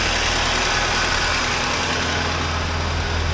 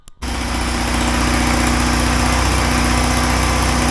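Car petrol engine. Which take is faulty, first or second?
second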